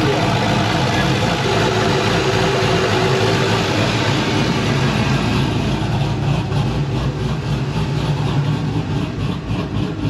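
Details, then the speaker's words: Pontiac GTO at idle: even, steady idle rumble with no misses or hunting, settling around 950 rpm; owner says it seems happy there, though it tends to want to stall when given throttle. "this car seems happy right there let me play with it a little"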